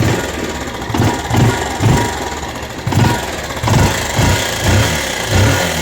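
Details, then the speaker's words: Rouser 180 motorcycle after long storage, started after cleaning a very dirty carburetor and finding lots of water in the tank: single-cylinder idle surges and dips about once a second with a loose clattery knock; noisy engine, cause undetermined. "Ito Paps, pakinggan mo yung ingay ng makina mo."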